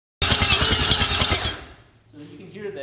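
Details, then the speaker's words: Three-rotor Mazda RX-7 engine after two years in pieces, computer off, cranked on the starter only to pump oil: lopsided chug-chug rhythm, uneven pulses; inconsistent compression suspected from sitting. "doesn't have consistent compression yeah it's just been sitting"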